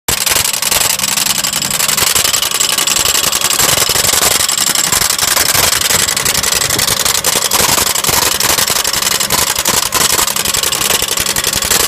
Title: lexus rattling noise help